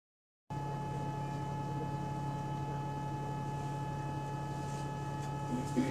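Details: GAL EN39 bus on route 89: constant low hum with a fixed higher tone over quiet cabin noise; unexplained whine inside the bus, possibly battery, electronics or A/C, not confirmed.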